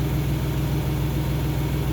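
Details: 2002 Isuzu Trooper LS, 3.5 V6 6VE1 with 4L30E, after an alternator replacement fixed its stalling; alternator ripple is now about 173–200 mV, down from 300 mV. Smooth, steady low idle with no whine, rattle or hunting; normal idle.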